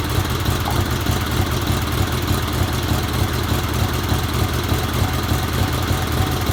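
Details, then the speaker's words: 1977 Sears 16/6 tractor with an Onan twin after a rehab (carb work, new plug wires, starter solenoid, used points, original GT18 coil and points, old fuel left in): steady, even low rumble with no misses or knocks, running well. "Made some plug wires for this thing and just kind of slapped it together, and it runs pretty good."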